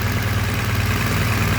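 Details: Rebuilt crashed BMW GS boxer twin after first start, warm at 95–99 °C coolant before the fan cuts in: steady even low thrum at idle with no knocks or misses; normal warm idle.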